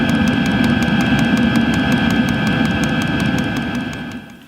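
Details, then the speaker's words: Dosing fuel pump of a Chinese diesel heater in a motorhome, on the 5.5 Hz high setting: fast, even ticking about five beats a second like a swarm of crickets, about 1.6 Hz on low; normal electromagnetic pump clatter, to be silenced. "can you hear that noise well it's coming from the little dosage pump that was supplied with my Chinese diesel heater and at its lowest tick over rate of 1.6 Hertz it sounds like a clock ticking all the time"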